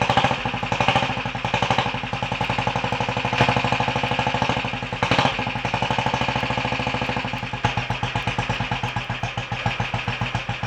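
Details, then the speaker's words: Royal Enfield 500 Bullet first start after top-end tuning (ported head, reseated valves, new guides, high-compression piston, retarded inlet cam timing, ignition advanced a touch); the single catches and settles into a steady, lumpy, even thump with no knocking, a healthy start and idle. "but other than that she's willing to start [Applause] [Applause] which sounds quite happy new life that I'll run it for a little while get it warmed up check a few things over"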